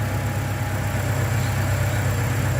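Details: Toyota Vigo after fixing morning no-start by refilling empty radiator and low fuel: low steady idle rumble with even beat, no knocks, misses or rattles; running cool and normal at idle.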